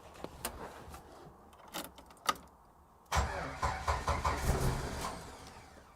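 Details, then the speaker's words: Jeep 4.0L after a rebuild, out of gear, first start attempts: quiet cranking bursts, then it catches and runs lumpy with uneven surges, hard starting and rough running. Owner suspects the timing is off. "yeah i think our timing's off at least that's what's acting like"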